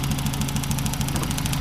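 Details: 1995 Ford Contour 2.0 four-cylinder, valve cover off: slightly uneven idle beat from a random misfire, spark plug wires arcing to the aluminum head; plugs and valve cover gasket replaced, wires taped as a temporary fix.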